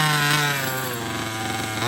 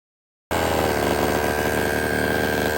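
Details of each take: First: HPI Baja 5B 1/5 scale RC two-stroke after carburetor tuning: fast, fairly steady idle with a slight dip and recovery; idling a little high and still needs tuning, but now running. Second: HPI Baja 5B 1/5 scale after repair, second start: small engine holds steady even beat with slight throttle, no hitting or clatter; earlier noise gone, suspected item stuck to magnet under cover.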